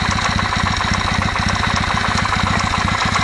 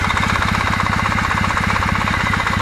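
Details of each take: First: Kawasaki W650 engine, warmed to operating temperature (quiet when cold): dull regular tok-tok at idle from the camshaft drive area, valves ruled out; owner suspects mesh of driven and drive cam gears. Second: Kawasaki W650 twin at idle: even, steady beat with no gear knock or tick on top; cam drive gears sound quiet and healthy.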